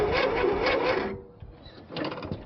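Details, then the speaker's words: Simplicity lawn tractor with its starter just reinstalled, throttle up and a probable automatic choke. Sluggish, laboured churning for about a second dies without catching: very slow cranking. The owners note there is little fuel and the drained fuel line must refill; this cause is suspected, not confirmed. "It sounds like it's cranking very, very slowly. Yeah. But there's also such little fuel, and I drained that fuel line that it's got to suck the fuel back through."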